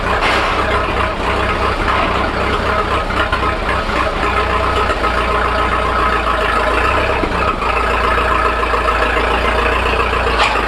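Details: 1941 Fordson Standard roadless tracked tractor, started on petrol with a switch to TVO planned, cold: steady even low thump of the old four-cylinder ticking over with no knocks or misses while warming up; normal idle.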